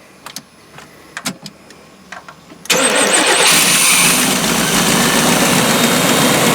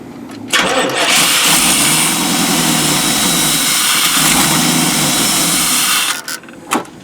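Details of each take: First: 1992 Chevy P30 RV, TBI 454 V8, after fixing no-spark and no-fuel-pressure; starts right up, smooth steady idle, no misses; alternator charging, takes throttle well, runs healthy. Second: 1992 Chevy P30 RV, TBI 454 V8, hot day: catches, roars unevenly, sputters and dies; runs better with MAP sensor unplugged, fuel starvation, suspected weak inline pump or faulty fuel pressure regulator.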